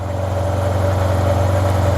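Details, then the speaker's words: 2009 Yamaha T-Max scooter, non-running project brought back to life: smooth, even low idle holding steady with no knocks or misses; engine running healthy. "yeah so that's it guys the bike is nice and Alive you know this bike is going to make a great Uber Eats delivery uh scooter"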